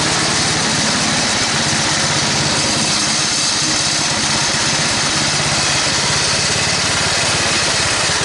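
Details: Toro 824 snowblower single-cylinder engine after carburetor replacement (previously stalled, hard to start, suspected sticking floats), started after priming: steady even beat, no surging or dying, runs in all gears with auger without stalling; normal running.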